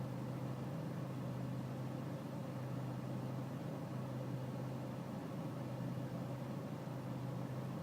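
Diesel idle with a low, uneven chug and faint wavering in the beat, a lumpy, unsettled idle rather than a smooth even run.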